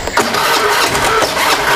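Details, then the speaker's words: Honda Beat scooter that previously would not start, now hand-started after compression began building; hard to start, then sputters and pops irregularly instead of settling, a rough misfiring idle. "nah hidup masih agak susah hidup tapi brebet ini motornya"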